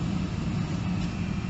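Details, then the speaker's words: Mercedes SL heater blower after a fault on the motor's return feed was bridged with temporary cables (condensation suspected): at full speed it gives a steady, even low whoosh with no surging, rattle or squeal. Normal blower. "okay, so now you can hear the fan, and I have all settings once more. There's the fan on full."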